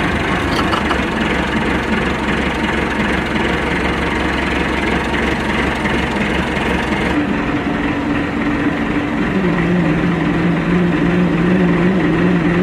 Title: MF 390T rumbling noise